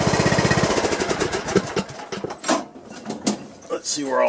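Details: John Deere lawn tractor single-cylinder engine after replacing a broken push rod and adjusting valve clearance: even, steady thump with no knocks or misses; smoke is from oil burning off the muffler. Runs fine.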